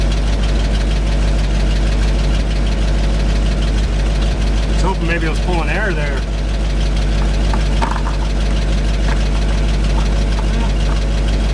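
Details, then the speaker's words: 1975 GMC C6000 with a 350 V8, first start in 10 years, little fuel in the tank and a mouse nest in the exhaust: a deep, loping, uneven idle of about three pulses a second. It runs rough; a weak fuel pump is suspected but unconfirmed. "there's a little bit of fuel in this tank there should have been enough maybe the pump is weak we're gonna find a pump getting rid of the mouse nest in the exhaust"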